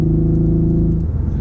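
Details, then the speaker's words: Nissan 350Z with 50,000 original miles: a deep throaty engine note turns lumpy and uneven with stumbling beats once the misfire sets in after about 2 minutes of running; engine misfire, cause not yet known. "But when it starts misfiring, after like 2 minutes, you really hear it."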